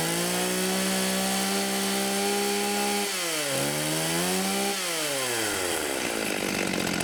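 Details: 1989 Husqvarna 50 chainsaw, sat years with old gas, after carb clean and tune-up: crisp two-stroke buzz holds steady high pitch, dips cleanly under a cut and picks straight back up; runs strong and even.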